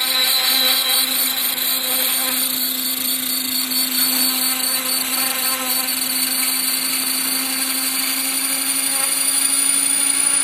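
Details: Trex 500 ESP electric helicopter on first hover: high whine with rough buzzing beat about four times a second, abnormal vibration of unknown cause.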